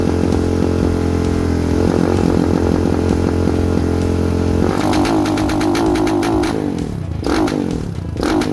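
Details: Lifan KP Mini 300 with a 4-valve ZS175FMN engine swap, air filter and exhaust pipe removed: revved to redline with varying throttle, rough and stumbling in bursts. The carburetor is untuned and needs tuning.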